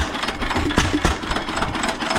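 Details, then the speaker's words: Stationary engine on its weekly half-hour run, battery charging from a solar panel. The piston oiler was turned on late, and the compression release was set partly off at start. A slow, heavy, evenly spaced single-cylinder thump; normal, powerful running. "When I started, I had the compression release off uh about right there. You can hear it. Pretty powerful."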